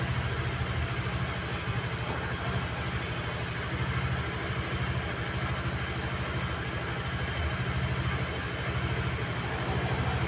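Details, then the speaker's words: Honda Vario 110 (KVB) carbureted scooter after carburetor adjustment with the auto choke dealt with, idling off the centre stand: a steady low putter with an even beat, no dips or stumbles, not stalling; normal idle. "Tuh aman kan? Lasamnya dia juga sudah bagus ya."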